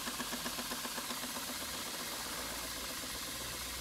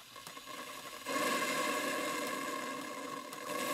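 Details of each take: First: Stuart 5A steam engine under test on steam from a Castle Steam V6 boiler fired with charcoal, running outdoors: quiet, even chuffing at about four beats a second, steady pace, very smooth and well balanced, not moving on the table; normal running. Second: Castle Steam V6 boiler running a Stuart 5A steam engine; oversized steam pump overfilled the boiler, so the steam blower jet up the chimney throws water, steady hiss with wet spitting and crackle.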